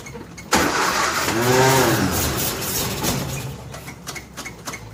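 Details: 1957 Nash Metropolitan barn find that sat for many years, start attempt with the manual choke and fuel pumped: the engine cranks unevenly and sputters briefly without catching. It won't start because the spark plug wires are crossed.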